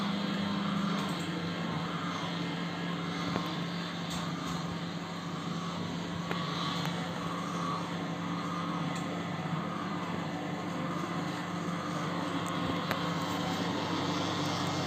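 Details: LG microwave oven running: a loud, steady low drone and hum. The turntable motor is the suspected cause, not confirmed.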